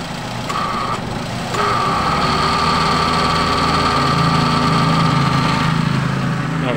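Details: Toyota/Daihatsu car (Xenia/Avanza/Rush/Terios) after AC repair (compressor clutch hadn't engaged, code P1530; thermistor and expansion valve replaced, torn wiring fixed): steady idle with a thin mid tone cutting in, dropping out, returning and holding; compressor cycling normally.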